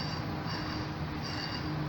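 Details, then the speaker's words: 1999 Jeep XJ replacement aftermarket A/C compressor clutch, pulley spun by hand with three shims, nut not yet fitted: steady scraping hiss rising and fading once per turn; clutch pulley rubbing on the field coil. "pulley is rubbing if you hear that it's definitely rubbing sounds like so i gotta put a fourth shim in"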